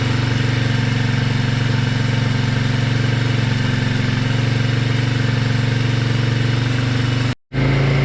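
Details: Yamaha Moto 4 ATV, sat over 20 years, running on a temporary fuel tank with a booster pack: steady, even single-cylinder putter about four beats per second with no misses or knocks; runs smoothly.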